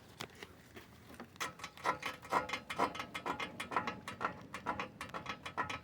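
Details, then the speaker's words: 2012 Hyundai Elantra that creaks when the steering wheel is turned; the creak is heard on one front side but not the other, a dry squeak about twice a second as the corner is worked; ball joint suspected: front suspension creak. "aquí no se escucha se escucha acá muchachos aquí es donde se escucha"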